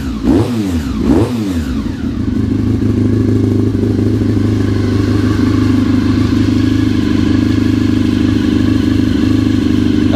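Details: Honda RC45 RVF750 V4 first start after new spark plugs (old ones very bad; injectors tested, not leaking): fires after a few uneven catches, then settles into a steady, even idle with clean exhaust beat; running healthy again.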